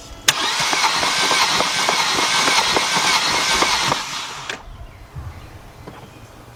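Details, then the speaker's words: 2000 Mercedes-Benz C230 Kompressor, cranks but won't start, new battery fitted: quick, even cranking near 200 rpm with light ticks, never catches. Compression test reads zero on all four cylinders; blown head gasket, possibly a cracked head. "okay we got no compression on either cylinder um definitely got a blown head gasket possible cracked head"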